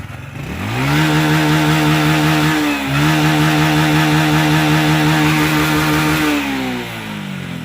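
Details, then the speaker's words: Honda Wave 125 that stumbled at full throttle, after replacing throttle position sensor: engine snaps to high revs and holds steady, even tone without stumbling; fixed. "เรียบร้อยครับหายครับเป็นที่เซ็นเซอร์ลิ้นเร่งอย่างเดียวนะครับเปลี่ยนตัวเดียวหายเลยนะครับ"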